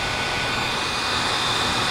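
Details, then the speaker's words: Philips Lumea 9000 IPL after repair replacing blown IGB50N65S5 IGBT transistor (fixed no-flash fault), reassembled and powered on: steady airy whir with faint high whistle as cooling fans spin up smoothly; unit fully functional. "So yeah, everything is back in place. Of course, it's not perfect. I had a little bit of problems when removing the housing, but nevertheless now it's fully functional, and just for you to show you that now it works."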